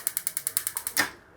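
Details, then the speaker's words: Gas stove auto-ignition that had worked only intermittently: test after connecting the 4-pole ignition box. Crisp, evenly spaced snaps about ten per second, then stop; sparking properly on all burners. "ഉണ്ടാ sparking ഒക്കെ എല്ലാത്തിലും കൃത്യമായിട്ട് work ചെയ്യുന്നുണ്ട്."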